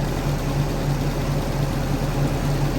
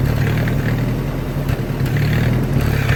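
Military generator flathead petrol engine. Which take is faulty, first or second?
second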